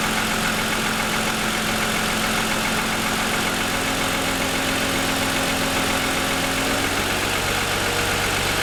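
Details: 2007 Lexus ES350 V6, parked, hood raised, first ~10 minutes after cold start: loose uneven knock under idle, owner says pronounced piston slap worsening over 2.5 years of ownership; suspected design/production defect.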